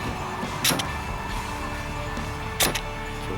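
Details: 2005-2006 Ford Expedition door after replacing the power door lock actuator, tested with the key: two crisp, quick clunks about two seconds apart; lock and unlock engage cleanly, normal actuation.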